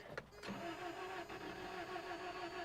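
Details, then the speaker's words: 1993 Toyota pickup 22RE, 5-speed, non-running, overheated once or twice per seller: slow, uneven labored cranking with little bite between strokes, seemingly low compression. "Okay. Does not sound like it's got a ton of compression."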